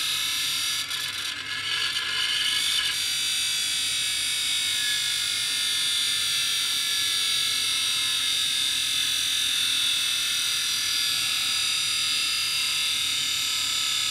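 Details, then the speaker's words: Scrapyard hard drive, likely the Quantum Fireball with four platters, connector damage; scratchy ratcheting clicks at power-up then steady high whine with rough overtones; opened, a platter found badly scratched: grinding from scratched platters. "this is probably the one that made all that noise okay here's the secret of the noise of hard disk number one"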